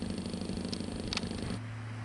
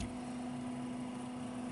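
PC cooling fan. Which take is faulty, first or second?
first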